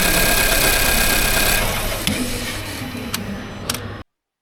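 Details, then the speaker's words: Nissan Juke F15 1.2 petrol with lack of power and dashboard warnings idles unevenly with occasional sharp ticks. Misfire on cylinder one, which has zero compression from a broken valve found by borescope. "the customer complaint on this one is lack of power, a huge misfire, and a few warnings on the dashboard."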